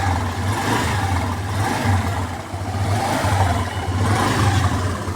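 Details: Skydrive 125 motorcycle that had stalled and wouldn't start, now running evenly with a low thrum and revving cleanly after replacing the spark plug; it started on the push start.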